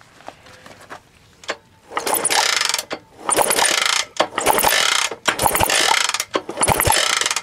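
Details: 1960s Honda CL90 kickstarted: repeated kickstart ratcheting and clatter, about one stroke a second, with good compression but the engine never fires.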